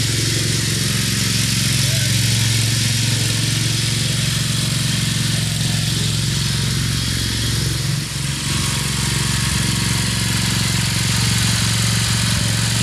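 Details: Craftsman LT2000 riding mower, Briggs 17.5HP engine, test run after cleanup, oil topped off with Lucas additive: steady, even single-cylinder thrum at constant speed, no knocks or misses; running real sweet, normal.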